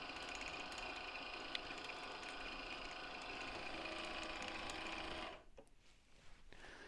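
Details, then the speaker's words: 1/6-scale Armortek Hetzer (Jagdpanzer 38) 24 V model tank, first road test on a patio: steady electric drive whir with light rhythmic ticking from a road wheel riding on its spring. The tracks no longer bind and the drive runs smoothly. "this is so much better it's actually it's not binding anymore that noise you can hear is just this W this wheel going up and down on its on its spring"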